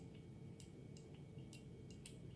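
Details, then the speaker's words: New micro switch fitted into a replacement trunk latch for a 2000 VW Jetta mk4 and tested on the bench: crisp, sharp clicks at irregular intervals over a quiet room hum; the switch actuates cleanly and the latch closes. "is the micro switch switching. And if I release the spring, yes, this closes."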